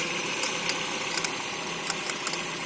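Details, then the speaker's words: 2011 Renault Fluence, cold engine idle: sharp irregular clicks two to three a second from the engine bay, worse when cold and on acceleration; mechanic suspects a vibrating tensioner shifted from its mark, unconfirmed. "Vou ligar o carro aqui, que esse problema aparece mais quando tá com o motor frio."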